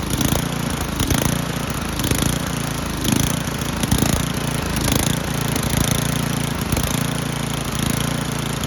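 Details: Old Toro 824 Power Throw snow blower, 8 hp Tecumseh engine, bought not running, old gas drained and inline filter added: runs steadily at a low chuffing beat with loose rattles, no stalling or surging; auger blade is bent.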